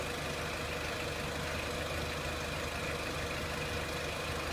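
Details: 2003 Renault Clio 1.6 petrol, intermittent stalling traced to loose crank sensor connector (sensor good), crank sensor scope reading good; even steady idle, no misses, knocks or hunting; normal idle.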